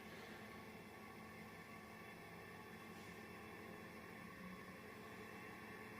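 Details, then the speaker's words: Quiet, even airy whoosh and soft low hum from an industrial 220-235 V AC fan on a variac at reduced, about US wall-socket voltage, a little loud, with no ticking or rubbing; it runs normally. "fan is a little bit loud but of course the direction in which the air is blowing is in that direction so I'm not getting cooled"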